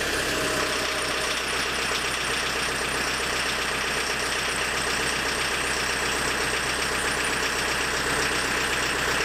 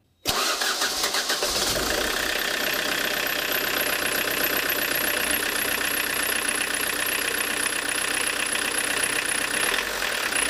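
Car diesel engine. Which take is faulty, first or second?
first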